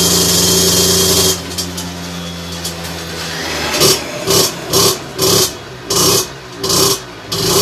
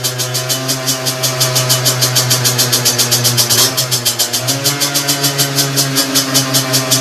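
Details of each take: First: Two-stroke moped with 17.5 mm carburetor on test bench, needle deliberately set far too rich; about a dozen throttle blips that burble and stumble instead of snapping up, though it pulls at heavy throttle; running rich. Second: Two-stroke with 17.5 mm carburettor on bench after needle reset to correct leaner position: crisp, even popping at idle, revs pick up cleanly and return to idle by itself; carb set right.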